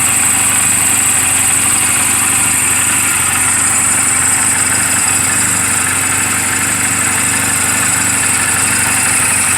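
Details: Reference sound of a healthy 2007 Honda Rebel 250 and its valves, idling in neutral just after an oil change and valve clearance adjustment; steady, even, smooth regular beat with no ticks or knocks. Mechanically sound, only cosmetic flaws. Normal idle.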